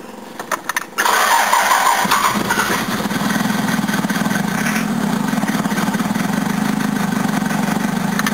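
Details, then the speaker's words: Diesel engine in a 1981 Toyota van, previously rebuilt, run on biofuel that smells like thinners: catches after a short crank and settles into a harsh, rattling clatter at idle, the low-flash-point fuel detonating instead of combusting; injection pump probably destroyed. "yeah this stuff's detonating instead of combusting and that's why the engine sounds like it's going to blow itself to Pieces"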